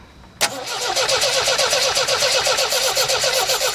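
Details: Old Ford after whacking the fuel pump to get fuel into the filter, clutch in: starter spins the engine at about four even beats a second for several seconds but it never catches; cranks, no start.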